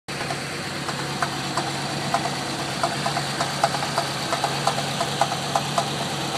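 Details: Land Rover Discovery 3.9 V8 at idle after a hydrolocked cylinder, top-end work and freshened injectors and regulator: a light, fairly even clunky tapping knock about three times a second; the source is unknown.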